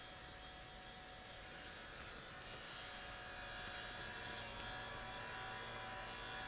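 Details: New Sony Vaio CS11S/W laptop under full load, about 60 dB, CPU hitting 100°C and throttling: steady airy rush with faint high whine growing louder; attributed to a mechanical fault of the cooling fan, replacement recommended.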